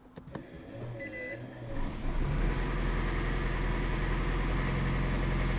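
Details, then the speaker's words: 2008 Toyota Prius after an in-vehicle engine rebuild with timing set and new Denso coils: a few clicks and a soft whir, then the engine catches about two seconds in and settles to a steady even idle; normal start, no trouble codes despite check engine light. "Okay, it didn't shut off."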